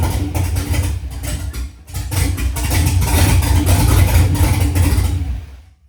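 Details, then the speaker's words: LS V8 swapped into 1968 Ford F100, first start, no O2 sensors, throttle worked by hand: deep rumble catches and idles unevenly with lumpy stumbling beat; rough running, engine otherwise sounds healthy. "that's something got our first fire I'm super hyped on that motor sounds pretty good it's obviously still running like crap it's got no O2 sensors or anything in it"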